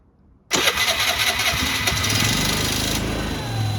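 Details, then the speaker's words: Piaggio ET4 scooter started after years stored, weak battery: catches on third attempt, flares briefly, then settles into a steady, even little idle with no stumbling; sounds healthy. "Sounds pretty good, huh?"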